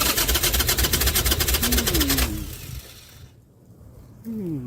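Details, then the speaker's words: Harley-Davidson V-twin started in neutral with petcock on: loud rapid chuffing pulse about two beats a second that drops away then rises again; starts and runs cleanly. "Everything working right. We're on. We got everything going."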